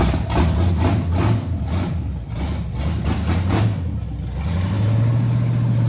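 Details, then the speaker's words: Z28 with a new small-block 350 V8 on first start, timing not yet tuned, side pipe broken off underneath; a loud, raw, uneven idle that lopes and surges, with unmuffled exhaust bark; rough idle and exhaust leak from the broken pipe. "this side pipe isn't even super functional right now it's basically broke off up under there so a lot of that sound your hair it is l"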